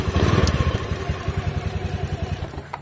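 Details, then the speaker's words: Honda Beat FI ESP scooter (K44) with intermittent no-start, after ECU/ECM socket repair: cranks and catches, then idles with a quick, fairly even putter and no odd noises; now starts and runs normally. "nah ini sudah bisa distarter ya dan sudah normal guys ya bisa dilihat"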